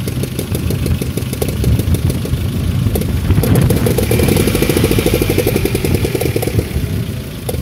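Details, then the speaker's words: Daewoo Nexia 1.6 in -17°C weather, after an oil and filter change: fast, even ticking over a steady idle, now clearly located at the top of the engine. Owner suspects something loose under the valve cover and plans to replace the cover gasket. "замена масла можно сказать помогла так помогла во-первых она стала лучше работать во-вторых звук все-таки выявился где-то так сказать материализовался выпал на поверхность наверх"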